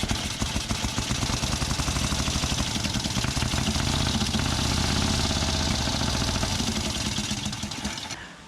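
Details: Pre-1919 rally motorcycle, old twin, test-started just after an engine swap following engine failure: fires and runs with a loose, uneven beat of about four pops a second, fading at shutdown; sounds healthy.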